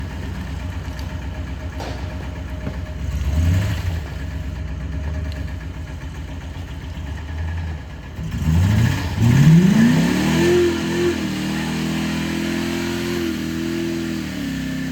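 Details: Ford Explorer 5.0 V8 idling roughly, then revved hard twice, with a deep knock under the engine note. Rod knock is suspected but not confirmed.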